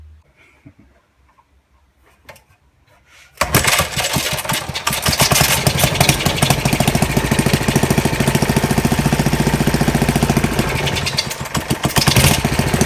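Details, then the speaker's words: 1940 Briggs and Stratton WMB single-cylinder engine, cold, not warmed up, needing more choke: fast, fairly even popping beat, slightly rough; runs pretty good overall. "I didn't have it warmed up yet. It needed a little bit more choke, but anyway, it actually runs pretty good."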